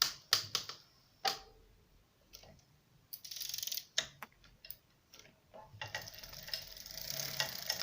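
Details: Bafang BBS02 mid-drive e-bike: irregular sharp crackling under slow, loaded pedalling plus a brake hiss; most likely caused by a slightly loose bottom bracket mounting nut, fixed by re-tightening.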